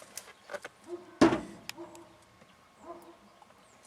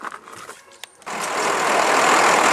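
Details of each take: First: 1995 Ford F-series box truck, 12-valve Cummins diesel, 301,000 miles, cold start: long steady cranking with no firing; won't start because the fuel line was sucking air. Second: 1995 Ford F-series box truck, 12-valve Cummins diesel, 301,000 miles, after fixing the fuel line that was sucking air: engine catches and settles into a steady, even diesel run with no misfire.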